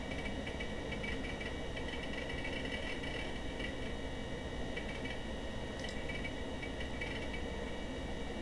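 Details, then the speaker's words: PC running the Virus.Win16.Twitch program while memory runs low: short clusters of quick light ticks over a steady fan hiss as the hard drive seeks heavily and chugs under load. "My hard drive is chugging!"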